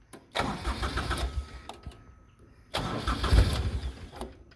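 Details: Grasshopper mower that stalled from no fuel because the tank pickup tube fell off the 90-degree fitting, after interim fuel-line fix: engine catches, runs briefly, dies, then restarts and runs steadily; fuel now reaching it.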